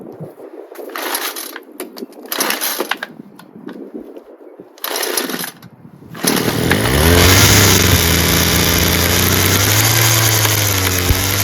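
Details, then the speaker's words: Free Homelite two-stroke string trimmer after many pulls: buzzes steadily on choke with a slightly wavering pitch, but stalls once the choke is off. Owner suspects mixture screws or a blocked screen near the metering diaphragm. "Did start. But it only starts and runs on choke. The minute you let off the choke to full run with flap, it stalls."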